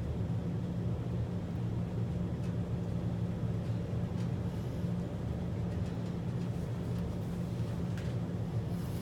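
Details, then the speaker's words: Maytag Centennial washer after replacing the defective actuator motor (unit previously agitated back and forth but would not rinse or spin, no error code): steady low even hum, drum spinning up normally with no knocking or scraping; normal spin cycle. "I can already hear that it's spinning which is good that's in the case that the actuator motor is working and the washer is working"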